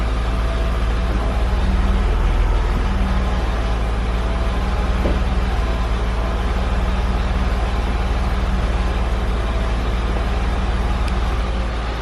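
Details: BMW E46 323ci drift build with a welded 3.91 diff from a 318i, traction control off (it had caused an earlier grinding, no-rev noise): a strong, steady drone at even pitch, no cutting or bogging. Normal acceleration.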